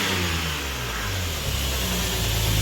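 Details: Lexus IS300 2JZ-GE VVTi straight-six, first start after installing HPS Performance short ram cold air intake: clean rise and fall of revs, deep even induction roar, no misses or knocks; normal free revving.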